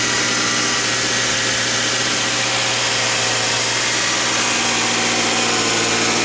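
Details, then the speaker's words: 2014 Subaru Crosstrek just after an oil change with Valvoline 0W-20 (5 1/4 quarts), started up: steady, even idle with a smooth unchanging hum and no knocks or ticks; sounding good. "Okay, let's go ahead and start it up. Sounding good."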